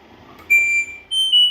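A few short, clean high-pitched beeps in a quiet room, the normal chirp of the washer's controls answering button presses.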